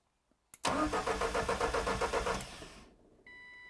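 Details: Ford Escort Mk4 that still won't run, during spark, fuel and air checks while testing one injector spraying into a bottle: starter spins briskly at nearly four beats a second for about two seconds, but it never fires. Cranks, no start.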